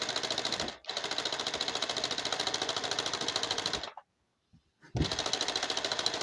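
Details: Car that won't start after a fuel pump change: quick, even cranking in bursts with pauses between tries, never catching. Cause unconfirmed.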